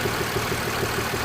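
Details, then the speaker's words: 2006 Mercedes S320 CDI W221, OM642 V6 diesel, engine and glow plug lights on, idling with a low droning hum and uneven pulsing throb, not sounding right; rough idle. "but it does have a little bit of I don't know if it's coming on camera, guys, but it's definitely doing some sort of a rumbling noise, sort of a hum noise. It doesn't sound right."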